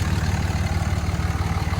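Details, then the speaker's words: Cummins diesel fitted with a 67mm billet turbo: steady low diesel clatter with an even, regular pulse and no knocks or misses; healthy, smooth running. "let's see what it sounds like wow this thing sounds like a jet"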